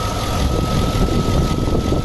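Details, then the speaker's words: 2004 Chevrolet Suburban 6.0L V8 after sitting, hood open: steady idle with a faint light rattling tick that fades as oil pressure builds; lifter bleed-down, with purge valve also found stuck open. "it sounds like a like the valves are rattling it's all about faint noise let me pop the hood see if you guys can hear it"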